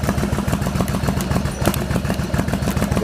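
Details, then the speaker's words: Yamaha Virago XV1100 V-twin idling: lumpy idle that after a while coughs and splutters on one cylinder, charging dropping from 13.6 V to about 12.5 V when revved; intermittent misfire traced to a faulty regulator rectifier. "after a while it starts to coffin and splutter through one of the cylinders"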